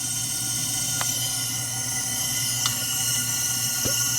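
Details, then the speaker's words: Gen 1 Suzuki Hayabusa with an ignition miss, leak-down test on cylinder 1 held at top dead center, 100 psi in and 98-99 held. Faint steady air hiss, nothing heard past the intake or exhaust valves; about 1% leakage, sealing well. "nothing past the intakes nothing past the exhaust i hear no leakage at all so that means this tube really very little that's great if all the cylinders are sealed up like this"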